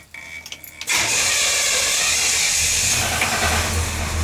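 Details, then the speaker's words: Impala just after the engine rebuild with a new intake, first start: the engine settles into a busy run with a light, uneven tinny rattle from loose, unsupported inner fenders shaking. "Now when you hear that rattling, what that is the inner fenders here on the car, because they're still a little loose because there's no let me back this out of here."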